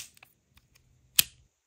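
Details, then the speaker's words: Old Shimano Bantam fishing reel after service with the frame cleaned, shaft oiled and clutch ramps greased: a few faint ticks, then one crisp pop with a slight metallic ring as the clutch engages cleanly. "how it pops? You can even hear some kind of metallic sound because once you grease the clutch on any reel, I promise you, if the reel is old and you grease the ramps on the clutch, the clutch becomes so enjoyable."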